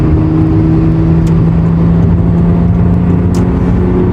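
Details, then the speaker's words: Toyota Cressida MX83 after a swap, driving under light throttle: a low, even exhaust hum with no drone or rasp over road rumble; the fitted muffler keeps the exhaust super quiet. "yeah the exhaust it's super quiet which is the whole reason why i threw that muffler on here"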